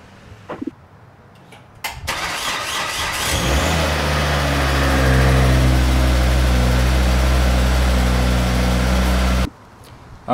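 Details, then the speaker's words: Volvo C30 with the old starter, before replacement: slow, labored cranking for about a second and a half before the engine fires and revs up; the weak start the owner attributes to the starter. "i wanted to replace my starter because the car has been doing what i would describe as a weak start which i'll show you guys in a little bit what that sounds like"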